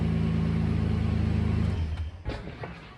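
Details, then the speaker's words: 1992 Toyota Land Cruiser starting normally after starter replacement, wires checked and cleaned, battery charged, following earlier intermittent clicking no-starts: steady low engine pulse about four beats a second, then cut off with light clicks; started about 15 times. "well it started about 15 more times under command so we're going to call that good enough"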